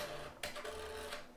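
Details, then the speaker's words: Kodak Advantix FD300 APS film drive loading film: a steady, crunchy low mechanical buzz with snapping and whipping sounds that don't sound right, yet the scan still works. "has a kind of crunchy sound which doesn't sound right to me buzzing sound snapping sound whipping sound this sound sounds like it could be endless buzzing"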